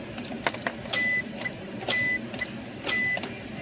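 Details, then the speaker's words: 1998 Isuzu Rodeo: sharp single clicks about once a second with no cranking. The starter throws out its bendix gear, but the starter motor will not spin. "you hear that i don't know if you can hear that clicking but it clicks and the motor the starting motor will not spin"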